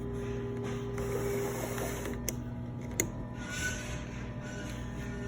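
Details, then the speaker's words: Sporlan secondary glycol fluid valve closing: steady low electric actuator hum with light mechanical clicks as the plunger drives down; the centre lights turn red when fully closed. Normal valve actuator hum. "you can hear the valve is humming it glowed there you go it's his bottom"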